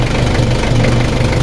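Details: Nissan Frontier D22 pickup engine idles with a steady, rapid knock over its low rumble; the knock was resolved alongside replacing the fuel return pipe, exact cause not confirmed.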